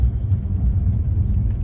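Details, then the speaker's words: 2015 Bentley Flying Spur, 11,000 miles, first drive after strut replacement on rough Peoria, Illinois road, 38°F: low even road rumble over bumps, no clunks or knocks; quiet suspension. "it is nice and quiet [Music] minus the snow not sure which that was 38 degrees outside and dropping well i'm gonna go with success because all these bumps so far even if you hear the bumps in the video"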